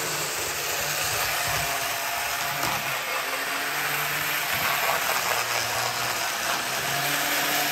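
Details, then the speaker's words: Older Bachmann GP40 locomotive, CP Rail, after cleaning and lubrication, lapping loop: loud buzzing whir with rattly gear chatter; owner suspects body shell amplifying motor and gear noise, removes shell next. "so I had a sneaking suspicion that all that noise was basically just vibrating through the shell"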